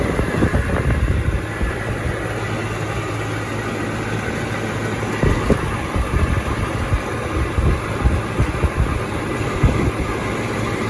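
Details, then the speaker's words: Trane XB100 outdoor AC condenser unit running: constant low hum with sharp clicks and buzzy rattles, plus a loud ringing at high speed. Owner thinks it comes from the loose top panel; washers planned as the fix. Loose top panel rattle. "you can see that there's a loud rattle noise to it and i think it's coming from this top and you yeah you can hear it click and it has that loud ringing noise to it when it gets going really fast"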